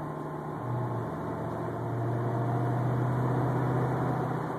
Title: Unknown whining noise 2